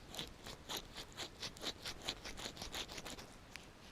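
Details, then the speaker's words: Wheel bearing turned by hand after removal: gritty, crunching rasp about four times a second with a tiny bit of free play, bearing just starting to go. "That means the bearing's just starting to go in that one. Yeah, a tiny bit of free play in it as well."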